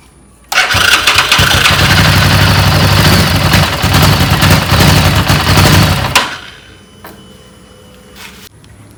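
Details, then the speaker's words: Second-hand bike left unstarted about a month. Catches and runs rough about five seconds, then fades and dies; repeatedly starts then stalls. Fuel checked clean; air filter also suspected; traced to fouled spark plug. "ಒಮ್ಮೆ start ಆಗ್ತದೆ of ಆಗ್ತದೆ start ಆಗ್ತದೆ of ಆಗ್ತದೆ"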